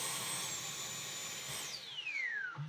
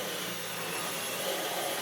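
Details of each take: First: Dyson V12 Detect Slim Absolute cordless vacuum, heavily clogged, after emptying dust: high motor whine holds steady then sweeps down and dies; motor keeps cutting out, owner suspects filter, cause unconfirmed. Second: Dyson V12 Detect Slim Absolute cordless stick vacuum, which had been clogged and kept pulsing and cutting out, vacuuming carpet, now working and picking up dust: steady high airy whoosh with no surging or pitch dips. Running normally.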